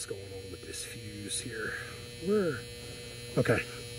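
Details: Goodman package unit with no heat or air: steady low control-transformer buzz; unit dead from a blown control fuse, and the common wire was left unhooked, apparently for lack of slack.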